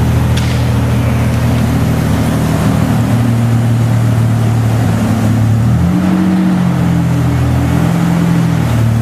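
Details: Mazda/Ford Ranger project truck with newly fitted street-legal exhaust (one hanger so far, power steering pump swapped): deep steady drone rising cleanly when revved near six seconds, then settling back, no rattles or leaks. Normal exhaust note.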